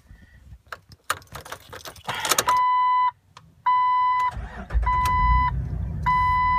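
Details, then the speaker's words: Jeep with intermittent no-start, some days completely dead, trip counter resetting: key clicks and steady warning chime, then engine catches and settles to low idle; owner suspects electrical fault, not the starter, cause unconfirmed. "I know it has to be electrical because the trip Connor will be reset now this will happen very infrequently"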